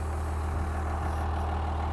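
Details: 1988 GMC Suburban square body with 12-valve Cummins swap, AirDog fuel preparator, 4-inch Diamond Eye exhaust: deep even diesel rumble at steady idle, no knocks, misses or rattles; normal diesel idle.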